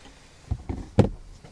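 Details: BMW 530 E39 door opening with short creaking clunks. The owner says it is the plastic door check strap, not the hinges. It is worse in hot weather, and spraying lubricant barely helps.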